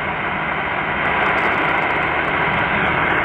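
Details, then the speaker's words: Hash-free supercharged Qodosen SR-286 radio on AM 520 kHz with whip antenna, volume nearly maxed: smooth even hiss with no buzzing, whine or ticking; clean vacant-channel static, no display interference. "I don't hear any digital hash noise on this"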